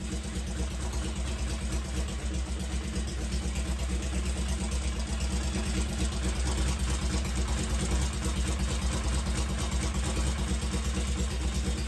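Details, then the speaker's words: 1963 Honda CL72 Scrambler after carburetor swap for correct throttle slides, harder to kickstart than before; uneven, lumpy low-rev running that won't settle, smoking immediately; timing issue suspected, smoke possibly from loose exhaust collars. "I don't know if that sounded right. Not sure. And it's definitely like immediately was smoking or something"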